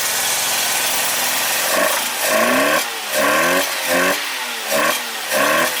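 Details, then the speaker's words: 1985 Mazda RX-7 GSL carbureted 12A rotary, just started after carburetor adjustment: lumpy, missing idle with throttle blips about once a second that don't settle it; owner suspects fouled spark plugs and that it's running on one rotor. "oh it's kind of missing you can hear it's like running on like barely anything"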